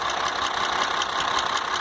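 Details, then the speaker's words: Iveco 480 diesel truck with engine noise: a sharp metallic tick repeating about five times a second over the running engine with an even beat. Worst at the rear of the engine. Internal knock, cause not confirmed. "Mas o pior mesmo tá batendo aqui atrás, ó."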